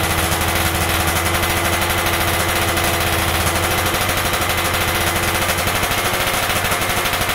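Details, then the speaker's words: Stock Yamaha F1ZR 110 two-stroke, carburetor air screw being set (about 2.5 turns out lets top-end RPM climb fully): a fast, even crackle at steady revs with crisp firing pulses; the engine pulls cleanly, normal. "untuk motor ini E saya dapat setelan angin itu di putaran dua lewat dikit ya 2 setengah ya baru bisa naik RPM atasnya baru teriaknya mentok"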